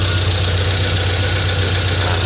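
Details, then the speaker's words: Proton Wira just started after replacing worn-short alternator carbon brushes that had stopped the battery charging. Steady, smooth low idle drone with no knocks or misses. The alternator works normally and is charging again. "Okay, kita dah start. Alternator pun berfungsi seperti biasa lah ya. Dah start charging."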